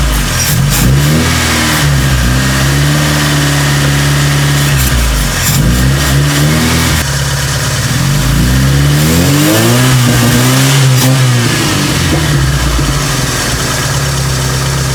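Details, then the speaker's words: Proton Saga/Iswara with new AC idle-up vacuum actuator fitted: fast, steady idle with a few revving blips; the new actuator's adjust screw sets idle RPM too high and needs adjusting down. "Ini untuk control idling RPM. Yang baru terlalu tinggi, kena adjust ketinggian."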